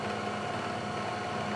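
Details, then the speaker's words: Climb milling a keyway dry on a mill, while adapting a drive pulley for an Ikagi lathe: a steady high-pitched singing tone over a buzzing cut as the cutter chatters. A dull end mill or an inaccurate vise jaw is suspected, not confirmed. "I hear the noise that it's making I don't know why it could be that the end mills sucked out a little"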